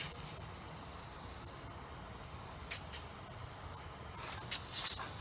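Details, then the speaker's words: Mountain bike front tire, ghetto tubeless setup with sealant, pumped to 60 after a blowout riding in Pacifica: faint steady high hiss with a few handling taps; air leaking through a tear in the tire sidewall. "Pump it up to 60. Man, I can still hear it hiss. That's not good."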